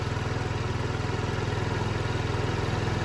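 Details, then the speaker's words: 2007 Diamo Retro 50 GY6 scooter, after new intake tube install, on non-ethanol fuel: small single buzzes at a quick, even idle around three and a half pulses a second, steady with no misses. Normal idle. "She's purring just fine. Non-ethanol fuel, by the way."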